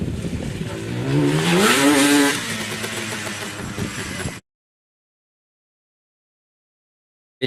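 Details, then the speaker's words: Yamaha Banshee two-stroke twin, barn find unrun for 7 years, new CDI fitted: catches on starter fluid, revs briefly, sags and quits within seconds, then won't restart; owner suspects old oily fuel in the lines plugged the carburetor jets again. "shut off and it wouldn't start back up what i believe the issue is here is that the fuel lines were filled with the old junk oily fuel and i think i plugged up the carburetor again"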